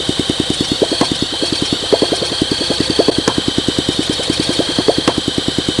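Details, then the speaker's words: 1971 Honda SL125 single, sat for years, seized engine freed, carb cleaned: ragged, uneven firing about three per second with hissy puffing. Smoke out of the case shows heavy blow-by. Owner suspects a compression issue. "The combustion right here is smoking out the case. I got a lot of blow-by going on."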